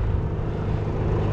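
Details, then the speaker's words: PTAC air conditioner cooling, indoor fan high, temperature at 62 and dropping: low droning hum with buzzy rattle over the compressor; unsecured cabinet vibration that stops when pressed down, fixed by adding screws. "okay you can hear that vibration if i just press down here it goes away right seen a couple of screws here easy"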